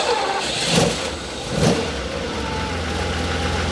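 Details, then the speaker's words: Ferrari 512 BB stone-cold first start of the day, clutch pressed, three or four throttle pumps: cranks, catches after blips, settles into a steady even cold idle with no misfire; oil pressure comes up. "So this is a stone cold box. This hasn't been started today."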